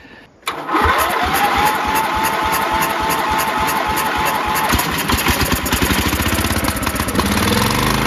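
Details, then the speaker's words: Toro GroundsMaster 52 mower with replacement vintage cast-iron Briggs & Stratton 16 hp single after rod blew, first start attempt; slow laboured cranking about eight seconds, only half-catching; owner suspects weak battery or starter drawing too much current. "I don't know if that starter's kind of pulling too much amperage and it's not the best, or if that battery was no good. I get the feeling the battery's no good"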